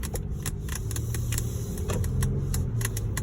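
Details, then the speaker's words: Pilot 3 audio system: irregular sharp crackles and pops over a low cabin hum. They continue with the volume at zero and even with audio switched off, on radio. Source unclear. "yeah so I'm gonna put the radio and even if I point I turned the volume up or I turn the volume to zero there's a crackling sound"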